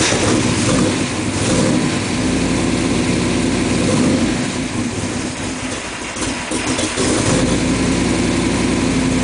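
Engine catches quickly and settles into a steady, even idle with no stumble or miss; sounds healthy.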